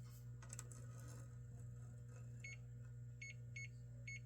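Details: Golden Tee Fore arcade board (no boot, resets, solid status light) on bench; short sharp high multimeter beeps over steady mains hum, each confirming continuity on chip legs probed in turn, checking for a bad leg: continuity beep.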